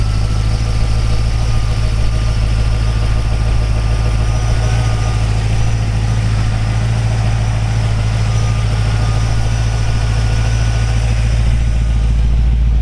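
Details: 1955 Oldsmobile Super 88 with ZZ4 350 V8, Holley 4-barrel carburetor, GM HEI ignition and 700R4, about 37,000 miles: deep, steady V8 burble at idle with an even beat and no misses or knocks; normal, healthy idle.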